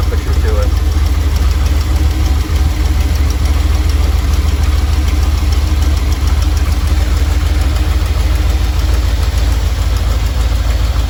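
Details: Normal warm idle from either the 1977 Ramcharger 440 or the 1968 D-100 318 being revived: a deep, even V8 rumble with no knocks or misses. It runs at about 800 rpm with timing about 3° ATDC, warming toward 185°F operating temperature, before a compression test.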